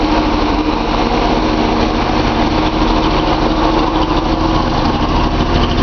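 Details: Nissan 280Z L28 six-cylinder at idle: uneven loping beat with recurring stumble; misfire suspected on cylinder 6, disabling its injector had no effect though injector clicks louder than others; owner suspects clogged injector screen, Colortune plug used to check firing.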